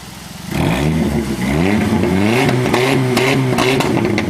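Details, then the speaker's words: 5.3 V8 in a Firebird, owner suspects oil problem with collapsed lifters, about to change oil and run Seafoam: several clean throttle blips, revs climbing and falling evenly with a steady beat, no knocks or ticks, sounds healthy. "Man, she looks good and she sounds good."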